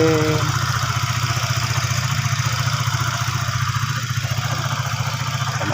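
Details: Used, previously seized Honda Sonic 150 after camshaft cover wear from dry oil was fixed and engine reassembled, idling: steady, fairly even putter, slight unevenness, no knocking; normal idle.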